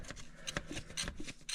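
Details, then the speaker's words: 2011 GM 2500HD LML Duramax diesel, hand fuel primer pumped after a fuel filter change: quick rhythmic squishy strokes about twice a second as it pulls fuel from the tank to fill the new filter until resistance builds. Normal primer operation. "So you'll basically pump this up, and at that point it's pulling fuel from the tank, filling the filter. It'll start to get some sort of resistance,"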